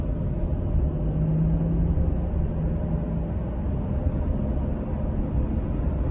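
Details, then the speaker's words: Ford truck driving: low rumbling, grinding metal-on-metal drone under road noise that eases but persists after lifting off the throttle and while turning; failed differential bearing, ring gear backlash also to be checked. "let off the accelerator kind of goes away but it's still there so it's definitely a varying noise and maybe even a gear noise"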